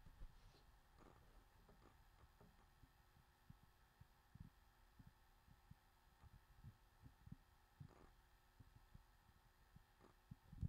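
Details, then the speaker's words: HP 15-ay163nr laptop, WD Blue WD10JPVX 1TB 5400 rpm hard drive, good health and temperatures but slow, under a CrystalDiskMark read-write test: faint irregular soft ticks and thumps over a quiet hum; normal seek noise. "but it says the hard drives are in good health and temperatures are right but it's slow"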